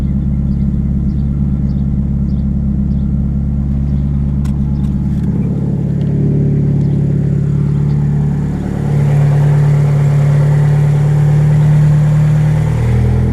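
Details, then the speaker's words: Eclipse just fitted with a '95 Dodge Neon automatic ECU to address ignition issues: idle won't settle, dropping then surging to a higher pitch over several seconds as the idle air control valve hunts; erratic idle. "here's to see what happens with my plus nine layer control valve back end idols doing all kinds of crazy stuff"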